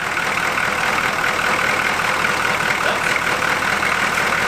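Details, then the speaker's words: 1981 Buick Century 350 diesel V8, just revived: steady, even idle with unbroken hiss and no knocks or misses; runs well, normal diesel idle. "That runs pretty good. What? I said it runs excellent."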